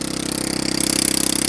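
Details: Honda Ruckus scooter with fabricated rear frame and center-mount shock, first test start; fast even single-cylinder putter about twenty-five pulses a second, idle high enough that it moves unless brake held: high idle.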